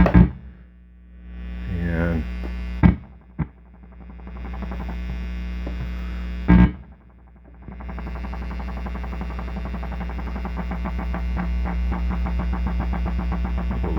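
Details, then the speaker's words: Late-1970s Fender Pro Reverb (master-volume version), with a homemade shorting jack in the footswitch socket: a steady amp hum turns into an even, regular pulsing throb; the vibrato works, though reverb is still dead. "there's a vibrato finally"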